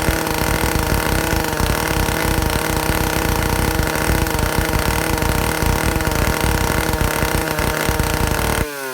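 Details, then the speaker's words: Vintage Stihl chainsaw (051/075/076, spec 9,000–10,000 RPM) after air-leak and fuel-system repair, high-speed needle tuning aiming for 3/4–1 turn open; peaks about 9,400 RPM. Smooth steady full-throttle scream with no surging or misfire, drops off cleanly; running properly. "So um I can get this saw when I go clockwise counterclockwise clockwise counterclockwise I can get it to peak out at about 9400 RPM."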